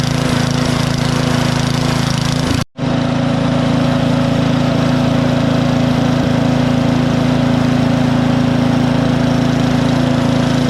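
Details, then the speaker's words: Powersmart DB7651 24-inch snow blower, LCT engine, after carburetor replacement for no-start/won't-stay-running: steady even small-engine beat, no misses or hunting, still smoking off old fuel; running normally. "things back to running great everything's working how it's supposed to"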